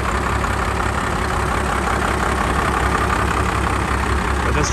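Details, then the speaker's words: "Fummins" diesel truck not run for over a year, injectors likely gummed: lumpy idle about three pulses a second, wavering as if fuel-starved, runs then dies and restarts sputtering; rough idle, cause suspected. "it'll run good and then it'll eventually die out and then we'll want to start again sputtering a few times for a while still going strong"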